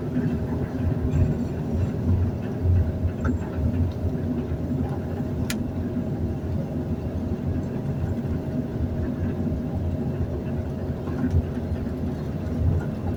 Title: Another elevator that's noisy when moving at Nathan Hale Gardens.